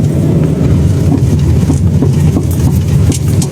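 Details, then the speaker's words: 2016 Chery Arrizo 5 at 125,000 km, driving over rough road and rocking the steering: loose hollow drum-like chassis knocks in uneven bursts; worn stabilizer bar end links, fixed by replacing the two links. "就是走那种坑坑洼洼的时候，底下咚咚咚咚咚咚的响。然后还有一个就是左右打方向盘的时候，它也响。"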